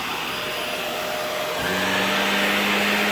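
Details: Shark NV355 vacuum after motor main pod replacement: quiet hiss, then the motor spins up at about 1.5 seconds into a steady, even high whine. Runs normally on first test.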